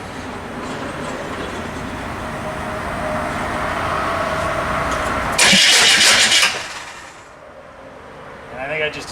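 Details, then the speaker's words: Chevy P30 food truck with a non-turbo GM 6.2 Detroit diesel, bought non-running: the starter cranks repeatedly but it never fires, even with starting fluid; no fuel is getting through. The starter is also tight against the flywheel. "so it's looking like it needs an engine it's definitely got a fuel problem so let's figure out what the next step is"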